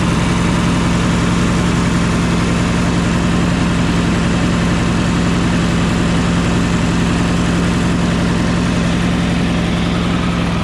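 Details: Yamaha EF4500iSE inverter generator with no power output, running during inverter board voltage tests: steady, low, heavy drone that never climbs; owner thinks it isn't revving up to proper idle. Low engine speed, cause unconfirmed.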